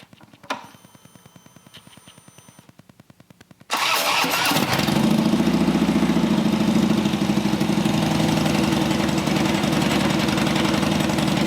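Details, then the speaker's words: Harley-Davidson Dyna Street Bob V-twin after upgrades incl. Horsepower Inc (HPI) 2-into-1 exhaust and new air cleaner: quiet cranking, then catches and settles into a deep, loping, even idle about 220 pulses a minute; normal start and idle. "Can't beat an HPI 2-in-1. That's all I have to say."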